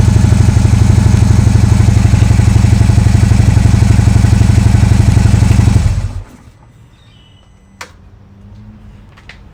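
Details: Harley-Davidson idling with an even, low-pitched thump for about six seconds, then shut off. This is after a dead-battery fault with VIN error code and clicking was traced to a bad battery and the fuel-pack tuner was reconnected; normal idle.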